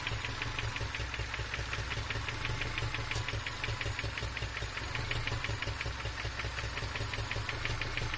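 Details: 2002 Subaru Legacy EJ253 at idle after a pop and stutter while driving: sharp, even ticking knock about five times a second; jumped timing, rod knock or bad tensioner suspected, cause undetermined.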